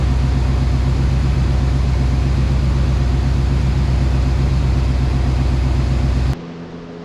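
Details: OBS Chevrolet Silverado truck that had sat a long time, restarted after a new GM coil, ignition module, coolant and battery, with a very low fluid topped off: steady, even, quiet low rumble at idle with no knocks or ticks, a normal idle.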